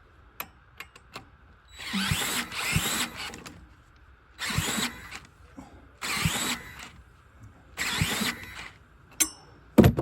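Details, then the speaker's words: Champion dual-fuel generator (10,000 starting / 8,000 running watts, on gasoline) turned over with a cordless drill in repeated whirring bursts. Fuel smell but no firing, so it cranks but won't start. It was running great before; owner unsure, maybe needs a stronger drill or a new starter. "I smell fuel but it don't want to go but it looks like the drill will start it we just ain't getting fire"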